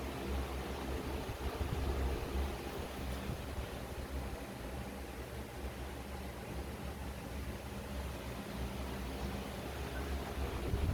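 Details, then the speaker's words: Electric fan after disassembly and oiling of the motor bearings: a low, steady whir that now spins smoothly with the former squeak gone, plus a few handling knocks during reassembly. "Ayun swabe ang ikot wala ng Naririnig na langitngit guys"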